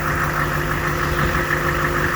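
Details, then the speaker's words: HMMWV diesel idling during hydraulic system bleeding after the hydraulic pump's front bearing failed and sprayed oil: steady idle with a thin constant whine; hydraulic pump whine, likely air in the system. "yeah so as you can hear there's some wine um some whining going on"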